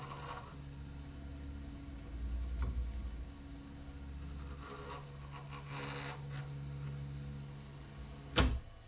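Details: Prusa MK3/MK3S FDM 3D printer during maintenance, X-axis check after cleaning dust from the fan: low, steady motor hum with soft, brief sweeps as the carriage travels, smooth and even, normal axis movement.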